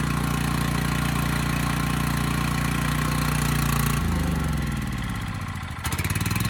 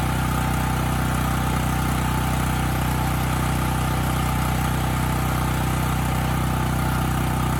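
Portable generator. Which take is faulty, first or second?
first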